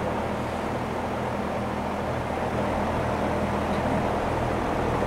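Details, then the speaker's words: Curbside-found vintage Lakewood box fan with shroud, electrically reversible with thermostat and push buttons, roughly 40–45 years old and probably never re-oiled, wired wrong, loosening up: steady even whir, no squeal, scrape or rattle; motor spins freely, bearings quiet, normal running. "but here's the thing even though it's probably had like 45 years with no oil no one adding additional oil to it I mean and to come back just like that like nothing happened that shows you quality right there"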